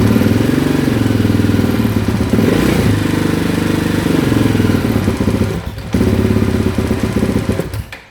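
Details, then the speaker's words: Rally-prepared KTM 690 single held at constant throttle below 3,000 rpm: uneven thumping with a wandering, surging tone. It gets worse and worse over time, not because of warming up; cause unclear. "If I'm going to keep it below 3,000 RPMs, it's just crap."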